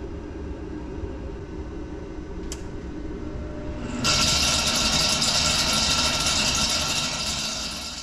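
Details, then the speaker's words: Mr. Heater Big Maxx 50,000 BTU garage heater, about a year old, before repair: quiet inducer hum, then once pipes heat the blower kicks on with a loud harsh roar and rattle; damaged blower motor shaft at fan hub, motor replaced. "little bit more than a year and about a week maybe 10 days ago while it was running all of a sudden the motor started making a terrible noise"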